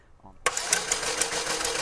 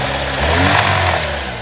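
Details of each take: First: 2004 Chevy Malibu Classic petrol engine, sludged, after ATF engine flush, spark plug out for compression test: starter spins fast and even with no compression chug; first cylinder zero compression, suspects stuck valve. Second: 2004 Chevy Malibu Classic petrol engine, warmed up a few minutes after the fix: picks up cleanly on a rev and idles down without stumbling or catching as before; faint metallic tick in background. Smooth rev response.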